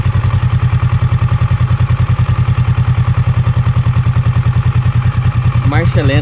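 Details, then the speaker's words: Kawasaki Versys 650 fully warm after about 20 minutes, idle set and stable at 1,300 rpm; steady, even idle thump with no misses or hunting, a healthy normal idle. "lenta está estabilizada a 1.300 rotações por minuto motor plenamente aquecido"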